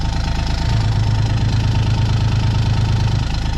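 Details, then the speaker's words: John Deere Gator XUV 855D diesel under load, parking brake on pushing on a hill, heard best at the bed: deep drone with heavy throbbing shake, about three pulses a second, also when accelerating uphill; worn motor mounts, later replaced. "so there's some sort of vibration causing that and that's the same like if I go to accelerate up a hill or just accelerate in general it makes that noise and it vibrates"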